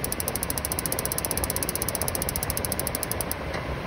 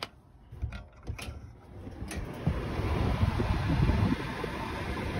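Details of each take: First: DuoTherm 65017-64 furnace in a 1982 Layton travel trailer, fails to ignite intermittently in freezing weather, tested during repair: fast, even spark ticking for about three seconds, then a click as the gas valve safety shut-off closes. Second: DuoTherm 65017-64 forced-air furnace in a 1982 travel trailer, after replacing the mechanical heat-only thermostat: a few clicks, then the burner lights with a soft, steady roar and creaking of metal heating up; normal burner startup.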